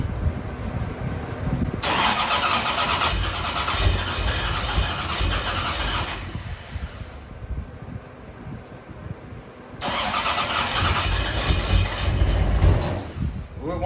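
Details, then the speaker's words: 1981 Camaro race car after rewiring, cold day, Accusump engaged before start: starter cranks slowly, about four beats a second, in two long bursts without catching cleanly; owner attributes the slow, hard start to the cold, unconfirmed. "oh wait there it goes I guess it's just cold and slow so let's see what happens"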